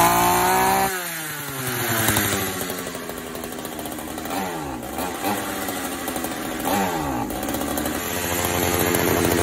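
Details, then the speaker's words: Vintage Pioneer P41 66cc chainsaw, freshly revived: idles, then pitch sags and stumbles at full throttle instead of screaming clean; owner thinks it's a little lean and suggests turning the mixture out a quarter turn. "You can see full throttle right when we start bogging. I think it's a little bit lean. So, let's just turn this out a quarter turn and see if that helps."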